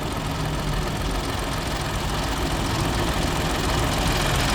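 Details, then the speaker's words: Old car idling, bonnet open: loose uneven rattle about three or four a second over the idle, following engine revs; owner rules out the brakes and the timing chain looks fine; engine-bay source unclear. "brakes or nothing you can tell the difference and anyway the noise went up and down with the engine ribs but there's nothing in hell it's just that that rattle the rattle's still there"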